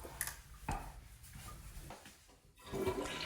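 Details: Toilet after a Kohler silent fill valve replaced the old valve, which squeaked, chirped and ghost-refilled: a soft, smooth flush rush, then a steady quiet refill with no squeal or surging. The fix was successful.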